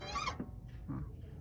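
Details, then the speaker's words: Fiat Mobi with cable-operated clutch: a short, high squeaky creak as the clutch pedal is pressed and a softer one on release, from the spring inside at the pedal; the owner says older Fiats commonly do this. Clutch pedal return spring squeak. "E aí começou a ficar assim e lá dentro mesmo no pedal faz um barulhinho de uma mola todo Fiat eu vejo fazer isso"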